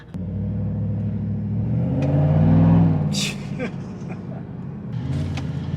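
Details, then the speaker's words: 2019–2021 Chevy Silverado V8 after Pulsar LT install with DFM (cylinder deactivation) disabled and throttle sensitivity maxed: deep even V8 burble swelling with throttle and easing back, firing on all eight cylinders; runs clean. "dfm is disabled we have a good old v8 again and keep in mind my throttle sensitivity as at an all-time high oh jeez"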